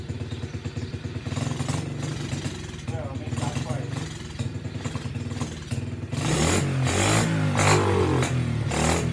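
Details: SSR pit bike with a badly worn carburetor, started on choke: quiet putter, then the small single revs up strongly and cleanly and holds; it runs, though the kill switch doesn't work and a new carburetor is planned.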